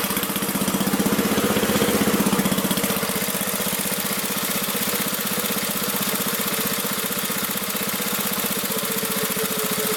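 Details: Magna air compressor with a Briggs & Stratton engine from at least 1983, sat 5 years, first start on the carburetor alone without carb cleaner: even, quick firing at about three pulses a second, no misses or surging, reaching 100 psi; normal running.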